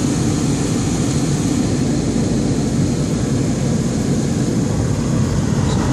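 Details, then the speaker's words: Dodge 3500 van RV dash blower on heat and defroster at full blast, after cleaning and reseating fixed its no-airflow fault. Steady, even air rush with no squeal or rattle, blowing warm; running strong and healthy on high. "that blowing good at high speed. It's warm. Still warm."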